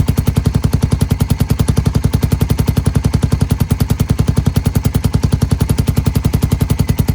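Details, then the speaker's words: Suzuki Satria fuel-injected motorcycle with 3-setting DB killer used over 2 years, valve open: fast steady metallic chatter, about 3–4 beats a second, from loose iron insert plate vibrating in exhaust flow; stops when held; iron glue fix failed. "Jadi, suaranya kurang bagus karena bagian besi ini, jadi bunyinya seperti ini."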